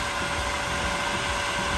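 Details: Newly installed variable-speed self-priming pool pump motor on low setting: steady even electric hum with rushing air, no grinding or squeal; running smoothly.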